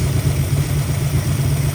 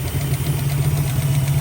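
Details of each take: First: 1965 Mustang 289 V8 with oil now reaching all rocker arms: smooth, even low idle burble with no tick or tap, ticking noise fixed, running its best. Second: 1965 Mustang 289 V8 idling after revival: rapid light top-end ticking in time with engine speed over steady idle rumble; valve train suspected, rockers likely need adjusting, rod knock feared but not indicated.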